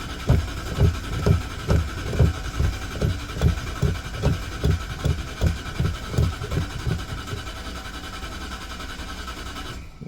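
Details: 1995 Ford E150 conversion van, left nine years in the Rocky Mountains, first start attempt: steady cranking at about two and a half beats a second, never firing; owner doubts it's getting gas.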